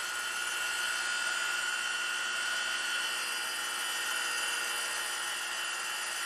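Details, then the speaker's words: 100 grit Radiac wheel grinding a pin under 0.150" diameter sticking out 1.8" unsupported, traverse slowed: even high hiss with steady tone, no warble or chatter; smooth grinding. "sounding good I'm just slowing my traverse as they get out there a little bit more in the Y giving it more time to cut"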